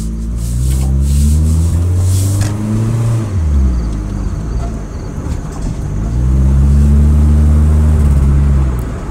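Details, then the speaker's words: 2003 Mitsubishi Lancer ES 2.0, fully warmed after an hour of driving: revs rise and fall with uneven stumbling exhaust beat about two pulses a second; misfire sputter from bad coil pack, all four plugs fouled with oil. "well it's totally warmed up and the coil packs are acting up pretty bad right now so this is a followup if you can hear it"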